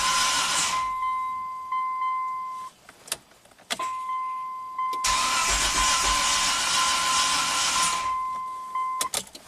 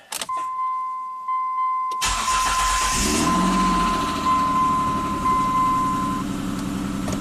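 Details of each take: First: 1998 Mitsubishi Montero Sport, start after timing belt and valve stem seal repairs: starter churns in long bursts with door chime beeping, slow to fire, then some smoke; owner suspects valves not fully seated delaying compression. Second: 1998 Mitsubishi Montero Sport V6 after new timing components installed (loose timing belt had let timing jump): short crank, catches cleanly and settles into smooth even idle, no slap or rattle; very nice startup, power steering disconnected.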